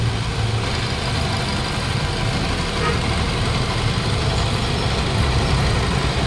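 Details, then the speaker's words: 2020 Toyota Innova 2.8 diesel (1GD) idling, owner reported engine noise: steady rough whirring over the diesel clatter, checked with stethoscope; worn front alternator bearing is the loudest source, pulley also checked. "Okay mga boss so alternator bearing ta iche-check na rin natin yung pulley pero ang pinakamaingay po yung bearing ng ating Toyota Innova na 2.8"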